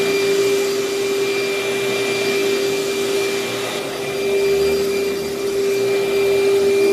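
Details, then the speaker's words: Older Panasonic upright vacuum, paper bag about a third full: steady high motor whine with a faint wavering drone as the brush stops and slows; the drive belt is slipping and needs replacing. "i could tell the belt was starting to slip i could hear the belt slipping so it obviously needs a new belt and i could kind of feel the brush stop and slow down a little bit so it does need a new belt"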